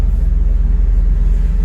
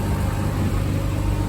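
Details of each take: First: V6 swapped MR2 first drive, hard pull under load climbing through gears: coarse raspy edge over exhaust drone; raspy note suspected to come from Y-pipe design, as on a friend's build, not confirmed; owner finds it acceptable. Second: V6 (2GR) swapped MR2 idling after coolant bleeding, cooling fans on, temperature good, before first drive: smooth even low idle, steady burble, no ticks or misses; sounds like a healthy 2GR idle.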